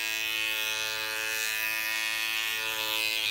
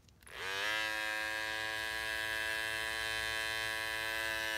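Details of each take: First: Andis cordless T-outliner with non-stock blade: the blade lifts up when switched on and is not set right, giving a steady high buzz with a harsh rattle and heavy vibration. Blade rattle and vibration. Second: Cordless T-outliner trimmer with GTX T-blade, as it sounded in its first months: steady even buzzing hum at constant pitch, no rattle or knocking, quieter than the bevel blade; normal trimmer hum.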